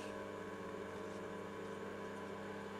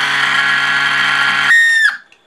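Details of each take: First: Cifer 2486 terminal's 8-inch external floppy drive, unused since 1982: quiet, steady low hum with no screaming or rattle after the rear fan's mounting screws were loosened slightly, since tightening them made it scream. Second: Cifer 2486 intelligent terminal, unused since 1982, powered up: a steady hum under a loud, piercing whine that shifts pitch, then dies away. It comes from the failing small 240 V 50–60 Hz 12 W cooling fan; the rest runs fine.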